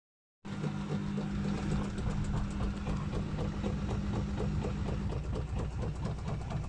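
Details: Washing machine knocking while running: a steady low hum with a regular, fast knock of about four per second throughout; cause unknown.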